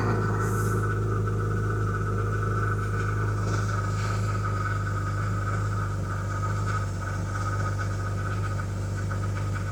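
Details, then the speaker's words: BMW E36 with an idle and stalling problem. After fitting a used mass airflow sensor taken from a junkyard car, it shows a steady low idle hum with an even pulse and no stumbles. The idle is improved, though codes are not yet cleared. "It changed. It changed."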